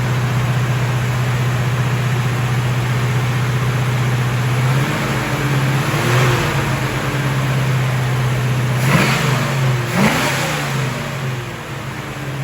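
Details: Freshly rebuilt 454 V8 in a 1970 Chevelle at its first start-up: steady fast idle with a few quick throttle blips; engine runs on because the idle is set too high.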